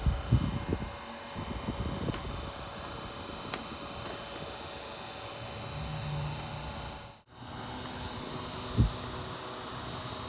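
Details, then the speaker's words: 12 V USPS LLV postal vehicle fan after restoration, run at higher voltage through a speed controller: steady whirring hum with faint constant whine and loose undertone, caused by thrust washers left out on reassembly. "as you can see that sound was because of these washers that i forgot to put back in unbelievable"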